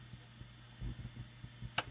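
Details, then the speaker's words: 1938 Zenith 9S262 9-tube AM antique radio during recapping, powered on with speaker and antenna connected; only faint low hum and soft clicks, no program sound from speaker, cause unknown. No audio output. "don't have any sound coming out of the speaker so we know what that does that turns the shaft which turns the control up there and this is and the speaker coil but i don't understand why i'm not getting any sound"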